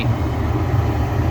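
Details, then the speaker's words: Gas furnace during pressure switch troubleshooting: inducer on, pressure switch clicks closed, igniter lights burners; short, even low roar with no flutter or pops at 3.40 inches water column gas pressure; normal burner flame. "There we go. The gas the burners are on right now. The gas pressure is good."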